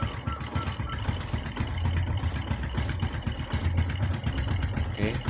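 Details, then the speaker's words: Honda Supra X 125 / Kharisma motorcycle after new spark plug (0.9 gap) and oil change, warmed 2–3 minutes before carburetor tuning: even, light putter at steady idle, no ticks or knocks; normal warm idle. "dan mencapai kerja ini bisa kita dengar dari suara mesinnya ini sudah enteng kita siap untuk lakukan penyetelan karburatornya"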